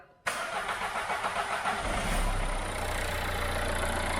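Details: Dacia Logan diesel, Cat N Copart car, after new head gasket, skimmed head, new head bolts, water pump, cam belt, tensioner, thermostat and fresh coolant, on a possibly low battery: brief crank, catches at once, smooth even idle like a sewing machine.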